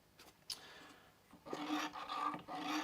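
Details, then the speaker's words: Old Dremel Moto Tool 212 drill press (Type 2): rasping squeak each time the head is raised or lowered by the handle, about two strokes a second; the dry column needs a little oil. "can hear that noise, I do need to put a little bit of oil in here."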